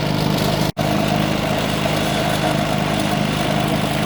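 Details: Predator 3500 generator with 131 hours, warm, after cleaning the idle jet and adjusting idle to cure surging and stalling. After a brief cut it settles into an even, steady drone without surging or hunting: running healthy.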